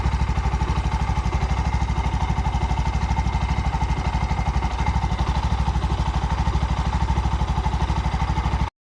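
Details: Bajaj BS6 single-cylinder auto after rebuild with new shaft, bore, head, oil seal and gasket: steady even idle about three firings a second, no knocks or rattles; normal idle.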